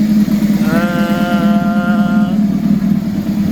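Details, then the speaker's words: Carbureted bike, hot, right after carb synchronizing: starts right up and holds a settled, steady, even idle hum with no hunting or misses, a brief rising tone passing by; normal idle. "Right? Starts right up, just as it should."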